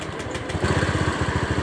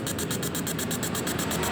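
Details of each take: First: Honda Scoopy scooter that was hard to start, now starting and settling into a steady, even idle after its injector was cleaned; spark plug change had not helped, fuel pressure normal at 40. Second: Honda Scoopy scooter with hard-starting complaint runs rough, sputtering and stumbling instead of idling smoothly. Spark plug replaced, injector spray and fuel pump look good, fuel filter changed, yet the misfire persists; a clogged injector is suspected.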